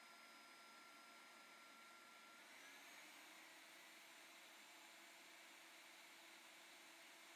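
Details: Numatic Henry vacuum running on the low setting via its PCB and hi-lo switch, at reduced power of roughly 800–1000 W of 1200: a soft, steady motor drone and airflow hiss with an even pitch that holds. It is running normally.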